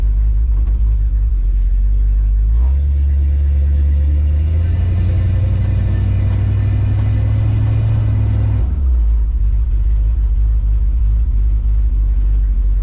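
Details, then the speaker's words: 1970 Dodge D100 pulling away after rear end swap with modified driveshaft; deep V8 rumble rises and falls over the exhaust, no whine, howl or grinding from the rear end. Normal rear axle. "And as y'all can hear, hopefully, over the exhaust, there's no whining, there's no howling, there's no grinding, nothing with this rear end."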